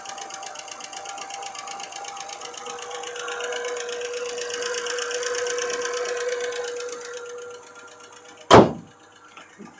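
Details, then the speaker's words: BMW straight-six petrol (E91 325i/330i or 530i, manual) idling after sitting about a year, coolant warning on: fast light ticking over steady idle; owner says lifter tick from sitting, just needs a motorway drive. "you can hear there's a lifter ticking noise there. That's because the car has just basically been sat on the driveway for the last year. It just needs a drive on the motorway."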